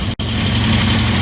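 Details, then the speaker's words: 2234cc VW Type 1 engine with big 39 PICT-3 carb and manifold, first start after long cranking: steady even low burble at idle, no misses or knocks after one brief dropout; smooth, not yet tuned. "I have to adjust everything here but it's very very smooth so uh we'll tune tomorrow"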